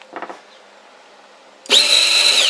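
After a faint knock, a steady high motor whine starts and holds evenly as the wire pushes through; the feed runs normally.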